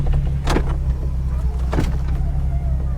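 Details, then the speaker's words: 2006 Nissan 350Z convertible top opening while the engine idles steadily: the top motor whirs with a couple of soft clunks as it folds; smooth, normal, quick operation. "alright now let's pop this top real quick this is one of my favorite things to do in this car I love the way this top opens up man it's like a transformer"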